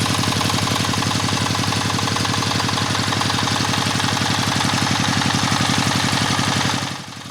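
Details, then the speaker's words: Dompeng S1115 single-cylinder diesel that pushed oil out the exhaust, after both loose valves were replaced with new valves and carbon cleaned: crisp, even chuffing of about four beats a second, then dropping away, with no white smoke in the first minute. Healthy idle. "ini masih satu menit pertama ini kita lihat aja dulu ya ini belum ada gejala tanda-tanda asapnya putihnya belum ada nih ya sobat diesel ini kita akan coba tes beberapa menit dulu ya"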